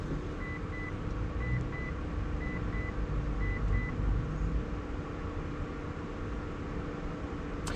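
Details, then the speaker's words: Mitsubishi Evo at key-on after installing AEM boost, AFR and oil pressure gauges and reconnecting battery: steady low whooshing roar with a faint repeating chirp; something going crazy, owner thinks the fan. "What is that noise? Something is going crazy. I think that's the fan."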